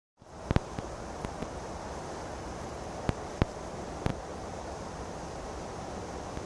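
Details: Restomod BSA with Villiers engine, spun by a 3 kW brushless motor rather than running: steady hiss broken by sharp, irregular pops; it misfires badly and never catches. Owner suspects a timing issue.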